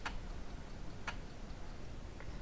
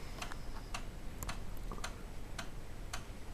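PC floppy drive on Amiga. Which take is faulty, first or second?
first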